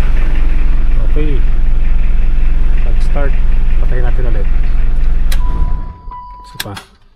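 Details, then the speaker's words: Mitsubishi L200 Strada 4D56 diesel pickup after DIY starter repair (previously clicked many times before starting), in neutral: steady even diesel clatter before shutdown, no grinding or repeated starter clicking; starts and runs normally, still to be monitored. "Tapos okay na rin yung ano yung starter natin one click start na siya ngayon pero imonitor pa rin natin"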